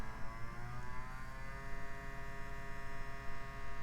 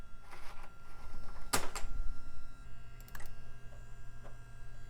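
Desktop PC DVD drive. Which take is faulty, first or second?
first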